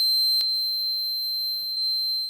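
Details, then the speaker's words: Vintage laptop running Windows 98: loud unbroken high-pitched beep that keeps going even after the volume is lowered; sound card fault suspected, not confirmed. "Vi prego, fatemi spegnere il suono, divento sordo, vi prego."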